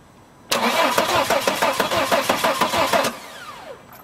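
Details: 2007 Volvo XC90 D5 diesel whose Bosch CP3 high-pressure pump sends no fuel to the common rail, cranked with a test bulb on the suction control valve connector: even cranking for about 2.5 seconds that never catches; crank, no start.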